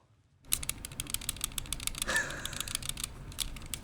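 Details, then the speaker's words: Finalmouse ULX Frostlord mouse shaken: quick light clicks and rattles from a loose sensor lens held by thin tape; pressing down on it fixed the rattle. "It's got a rattle. So Final Boy says all you should have to do is press down right here, no disassembly required, because that's like a thin piece of tape or something they use for the lens for the sensor."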